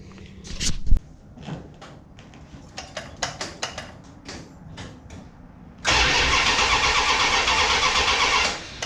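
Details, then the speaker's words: Mopar Ramcharger after ignition upgrade with 7mm plug wires and distributor reinstalled, timing unset: scattered clicks for seconds, then catches and runs loudly about three seconds; owner suspects it lacked fuel. "Maybe it needs fuel. Already sounds better. That should have got us fuel."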